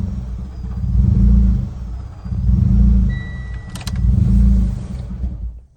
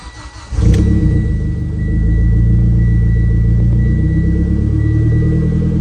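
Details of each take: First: Mitsubishi Ralliart after vent-to-atmosphere crankcase conversion, warm restart: idle swells and sags about every 1.5 seconds, three big surges, then stalls; vacuum leak from the CCV valve on the aluminum valve cover, likely not pressed in fully. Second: Mitsubishi Ralliart after converting the stock recirculating crankcase setup to vent-to-atmosphere with a Moroso catch can: cold start, engine catches, flares briefly then settles into a steady, even idle; normal, RPM drops slightly as it runs.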